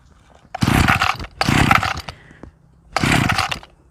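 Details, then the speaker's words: Small Mitsubishi brush cutter with diaphragm-pump carburetor set very lean for economy, cold morning start after priming: three short bursts firing, revving briefly and dying; hard starting happens every day. "ดูเหมือนจะติดก็ไม่ติดให้ครับเนี่ยทุกวันทุกวันนะครับชอบเป็นนะครับ"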